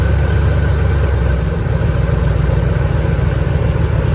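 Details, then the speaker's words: 1987 Chevrolet C4 Corvette that had been overheating, engine idling before the water pump was replaced. Steady heavy rumble with a constant rough, gritty undertone. Failed water pump. "This is what a bad water pump sounds like. I'm going to start it up real quick."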